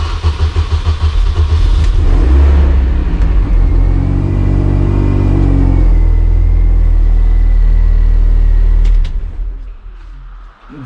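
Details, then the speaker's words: Road car being rebuilt as a race car, first start after the rebuild with the check-engine light on. It catches and settles into a steady, even idle with a firm low throb and no knocks or misses; starts and runs fine. "so as you can hear the sounds okay it starts up okay"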